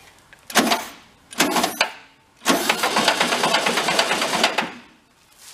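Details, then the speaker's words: Barn-found circa-1973 VW Karmann Ghia, unrun about 31 years, cranked on the lift via jumper button: three cranking bursts with uneven clack, likened to rod knock; cranking to build oil pressure, cause unclear. "a little bit like a rod knock huh let it spin for a little bit"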